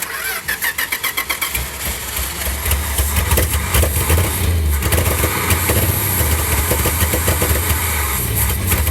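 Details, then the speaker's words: Field-find car that did not run, carburetor engine: cranks, catches, then a lumpy, uneven idle with irregular stumbles and no popping back through the carb. "I don't har popping back no I don't see it either I mean it's definitely not happy to be alive"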